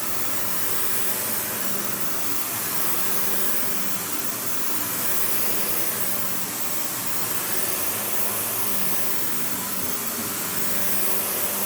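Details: Panasonic upright, one of the last sold in the US, base plate refitted, bare-floor switch, auto height adjustment, brush roll auto-stops when upright: steady even airy rush, no rattles, squeals or surging; motor and brush roll normal.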